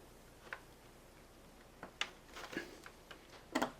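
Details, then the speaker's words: 2006 Suzuki GSXR 600, fitting a plug boot onto a new NGK Iridium spark plug: a few sharp clicks as the boot snaps down onto the plug top, indicating a properly seated, good connection. "now listen you'll hear that ratting noise when it slips down on those um the top of those uh that uh spark plug uh connection"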